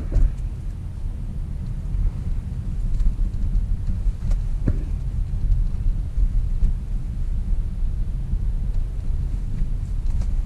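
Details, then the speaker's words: Riding as passenger over potholes on both sides of the road: steady low road rumble with a few dull thumps and knocks as the wheels drop in; suspension noise of unknown cause. "Buraco bem nesse lado aqui, depois curva pro outro lado lá e buraco pra todo canto é lado. Vamos escutar o barulho de suspensão."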